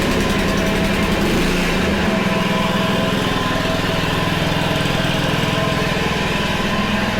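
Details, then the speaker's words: Honda HRC216 mower: small petrol engine runs steadily, then a light rattling chatter rides on it once the blade clutch engages; clutch works but is noisy and worn with age. "well clutch works uh it definitely is a little noisy you're not gonna lie you shouldn't really hear these noises it's definitely worn it does work though"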